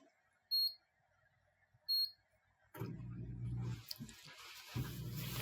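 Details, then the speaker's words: KitchenAid dishwasher KDFE204ESS2 in diagnostic test cycle, complaint not washing: two short beeps, then a steady low hum with water gurgling. The drain pump runs normally, while the wash motor failed to run earlier in the cycle. "so there's our drain pump running so our drain pumps good"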